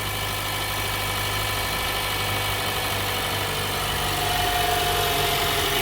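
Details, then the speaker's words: Cold start on a 4-cylinder engine left overnight, oil clean and full: a busy metallic rattle at about four per second rides over the idle from up top; suspected timing chains or a VVT actuator, not confirmed. "Okay. So the motor's dead cold. Woo! There we go. That's timing chains. Well, timing chains, or it's a VVT actuator."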